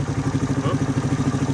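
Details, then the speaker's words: 1985 Suzuki DR250 survivor, start-up after revival with straight fuel line replacing the kinked filter: single cylinder thumping evenly at idle, about eleven pulses a second, very quiet with no cam chain noise or ticking. "Engine is really quiet. I don't hear the cam chain at all."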